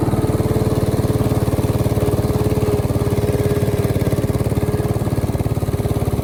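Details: 1968 Bolens Husky 775 Husky Pup lawn tractor, restored and swapped to a Hatz 1B30 V single-cylinder diesel, mowing: even chugging about three beats a second, regular and strong with no knocks, normal running under load.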